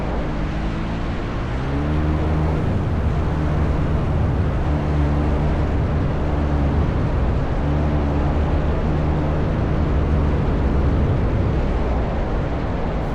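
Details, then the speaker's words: Flying Inflatable Boat (FIB) engine in flight: steady low drone with an uneven, wavering beat that rises and sags as the engine falters before quitting unexpectedly; pilot turns into the wind for a dead-stick landing. Engine losing power in flight. "It's about this point in time I realized my engine's definitely going to die on me and I have just enough altitude to make a steep turn so I can point into the wind for landing."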